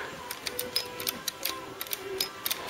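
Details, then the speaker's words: Ford Cortina MK3 GXL restoration: the rebuilt LED-backlit switch panel now has Vero board fitted behind it for support, so the switches give crisp, firm, positive clicks, about a dozen in three seconds; normal switch action. "you weren't getting positive action on the switches so we're better there now so there you go you can hear that clicking"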